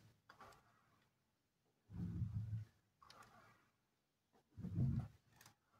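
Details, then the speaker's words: Entry-door hinge after lubricating the top and bottom with lock spray and swinging the door: only soft low swishes and thuds, no squeal at all; the hinge now moves quietly, creak gone. "Как слышите, звук уже пропал. Уже даже хорошо всё ходит без каких-то звуков."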